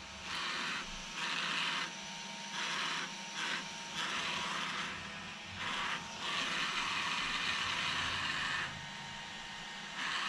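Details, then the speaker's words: Traxxas XRT RC truck Max6 ESC cooling fans: one small fan gives a dry stuttering ratchet cutting in and out, blades all present but seemingly hitting the case; only one fan working properly, cause not confirmed. "I only have one fan working. This fan is sticking."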